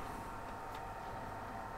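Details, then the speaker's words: Faulty PS3 Super Slim that powers on and off, running: quiet steady airy rush with a thin constant whine; fan already spinning fast, likely to overheat quickly. "I think this is going to overheat very quickly fans already going quite fast there"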